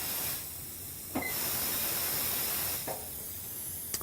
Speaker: So at this point I'm going to hook the line up, but I'm going to back up and add the air from a little distance. You hear the bead popping, both sides. And we're going to continue to air it up to about 32 psi on our gauge here.